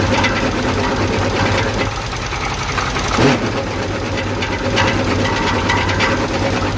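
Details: 1976 Chevy El Camino V8 running for the first time in a long while after sitting: rough idle with heavy, uneven knocking clatter throughout; serious internal knock, cause not yet found.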